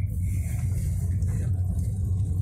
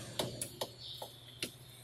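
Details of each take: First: Toyota Corolla tested over rough, bumpy ground after repairing a brake knock that sounded on every pothole: only a low, even road rumble with no clunks or knocks from the front wheels, and the brakes are now quiet. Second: Toyota Corolla brake pad loose in the caliper, rocked by hand: sharp irregular tac-tac clicks, about five in two seconds. The same knock is heard when driving over potholes; the cause is a loose brake pad.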